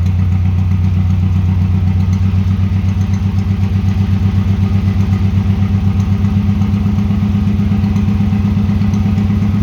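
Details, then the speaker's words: 1996 Subaru WRX, stored outside for seven years, running on new oil, oil filter and fuel filter with the old spark plugs: loud, slightly uneven thumping idle at about four pulses a second, now on all four cylinders; owner suspects the injectors need cleaning. "okay well the answer to the question does it run well yes it does and after a bit of coaxing got it to run on four cylinders which is quite surprising actually"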